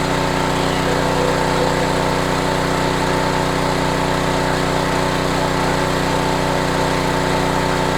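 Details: Homelite HGCA3000 3500 W generator after new carburetor and head gasket, under about 1,500 W heater load at a steady 124 V; smooth, constant small-engine hum with even firing and no hunting or rattles; healthy generator under load.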